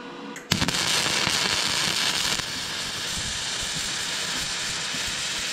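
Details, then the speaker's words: Vevor MIG-250 running gasless flux-core wire with the torch on negative polarity and settings set roughly: a steady, even crackling sizzle with no big pops, smooth wire feed; the best weld yet, no spatter lumps, though it leaves yellow dust. "See oli mu parim Nüüd on hea... klimpe pole ollagi... sellega on vist gaasita traadikeevitus klaar"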